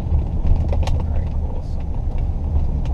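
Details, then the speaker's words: 2011 Ford Edge that misfires for a split second at wide open throttle around 6500 rpm: a deep labouring roar near full throttle that pulls weakly and stumbles. The misfire shows on cylinders 2 and 6. "as you come down you can still misfire against you can tell it's on 2 & 6 so it's ok that it doesn't work at high rpm"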